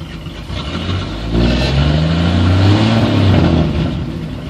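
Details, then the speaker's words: 1954 Chevy 210 with muffler removed and straight pipe, in neutral: deep, loud open-pipe rumble swelling as revs rise then settling; sounds good but still not as loud as owner wanted, dual exhaust planned. "I don't know if you can hear the exhaust sounds pretty good it's still not as loud as I wanted it"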